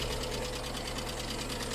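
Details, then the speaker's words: Skoda Fabia with an engine (not VW-derived), running on a donor battery at idle: fast, light, even sewing-machine ticking over a quiet idle; an insidious engine fault barely noticeable at first listen. Hydraulic lifter tick, attributed to water-contaminated oil after head gasket failure. "wir reden hier von einem sehr heimtückischen motorschaden kein scherz der wagen ein motorschaden im moment im ersten auf das erste hinhören nicht wirklich zu merken oder"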